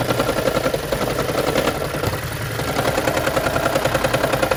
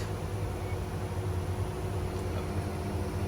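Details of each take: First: 2013 Lexus CT200h hybrid with check engine light, rough rattling chatter about three to four pulses a second at cold start each morning, stopping once in hybrid mode; fixed by spark plug replacement tune-up. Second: 2013 Lexus CT200h hybrid after spark plug replacement tune-up that fixed a morning cold-start rattle; quiet, even low hum with no ticks or shakes, runs smooth.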